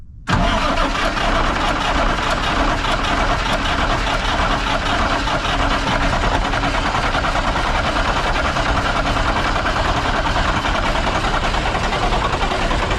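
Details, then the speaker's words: 1965 Kenworth diesel that would not start for 3 or 4 years, first catch after priming fuel with a new starter: rough, uneven clatter on only about two of six cylinders because the injector rack was set up wrong. "I'm a little worried about the guy that ran the rack on that thing it's only running on about two cylinders not going to hurt anything"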